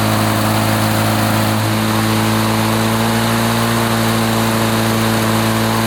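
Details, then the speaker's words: 1980s Lawn-Boy two-stroke mower after cleaning repair, previously wouldn't run after running out of fuel: buzzing at steady high speed about 3480 rpm per tach, even and clean with no misfires or surging; fine per label, choke off, runs fine. "foreign RPM she runs 34.80 which is fine it feels like the throttle is back or at least according to the label"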